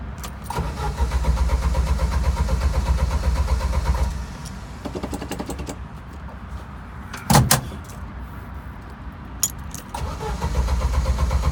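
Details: Jeep YJ that previously died while driving, smelling of fuel and running rich: the starter spins the engine in even quick pulses, about four a second, in two long bursts, but it never catches; crank, no start.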